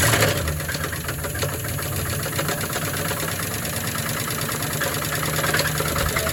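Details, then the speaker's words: 1978 Pontiac Catalina engine idling with belts off before swap: rapid sharp deep knock tied to engine speed, louder with throttle; owner suspects a connecting rod, possibly a bearing. "the noise will get louder as you get a throttle usually hear that that's either a stunned bearing a certain thing or something in the Valley Stream I think it's connecting rod though"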